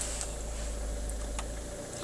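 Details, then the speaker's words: Volvo V50 SE 2.0 diesel with 150k miles at steady idle: a light click as the AC compressor clutch engages, showing the air conditioning has gas and works normally. "you can hear the compressor clicking so the air con's going to work it's got gas in it so that's good news for the summer months"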